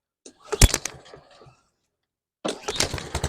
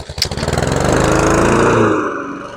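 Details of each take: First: Husqvarna HU700F mower after a GVC 160 carburetor swap, first start in 7 years: a couple of pulls, then it catches and revs with a pulsing, hunting surge before settling. Owner thinks it was lacking fuel; otherwise it sounded good. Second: Husqvarna HU700F mower, first run in 7 years after swapping in a new GVC 160 carburetor: small single catches and runs at an even buzzing beat, easing under cutting load; an earlier slight surge owner suspects was lack of fuel, otherwise runs well.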